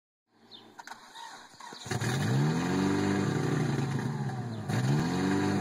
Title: 92 tsi rough idle